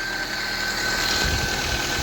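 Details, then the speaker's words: Daihatsu Sirion first start after replacing the water pump, which had caused overheating; fresh oil and coolant. Settles into a steady, even idle with a smooth low hum and no grinding or knocking; running healthy. "We're gonna start it now and see what it does. It's idling like a baby."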